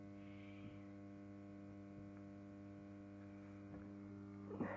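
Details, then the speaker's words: 400W phosphor-coated mercury vapor lamp warming up after switch-on: steady low hum with even overtones, normal magnetic ballast hum that can be felt as vibration. "in real life you can actually hear that humming you can actually feel it vibrating with mercury vapor it emits white light not orange like the high-pressure sodium"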